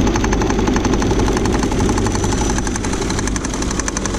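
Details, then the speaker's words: 2000 Saturn L300 3.0-litre V6 at idle after a timing belt job where only two of three pulleys were replaced; loud rapid uneven knocking about four per second, suspected from the third pulley, found to be the power steering pump pulley. "sounds like that's coming from the third pulley on that could be developing something"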